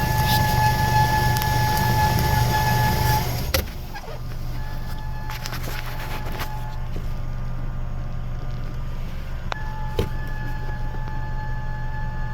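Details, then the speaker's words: 2008 Mazda 3 with the engine running, heard from underneath the car: a steady high-pitched whine from the in-tank fuel pump that cuts out when the tank is hit, leaving only idle. The fix is replacing the fuel pump module. "so this car had uh the problem the noise in the fuel pump so we start the car when I hit it the petrol pump so this is underneath the car you can hear the noise it's coming out the inside of"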